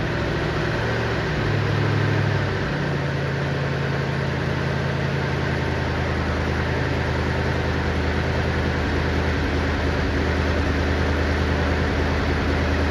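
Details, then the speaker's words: 1959 Chevy Impala 348 V8 after cam break-in, carburetors and timing not yet set: fast idle settling lower with ragged puffing tick over the rumble; bad passenger-side exhaust manifold leak at the donut gasket underneath. "When it made that first noise and it first stopped running, that noise was coming from this exhaust. This exhaust manifold over here is leaking really bad. It's the donut gasket underneath."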